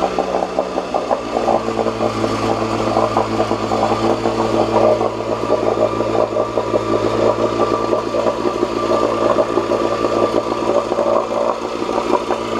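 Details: 1986 Johnson J4BRHCDE 4 hp Seahorse two-stroke outboard, stored for years, previously overheating, test-run in water after water-passage cleaning and pump check: steady speed, even exhaust note, no knocks or surging; about 5 minutes in, a little hot; small known carburetor leak; runs normally.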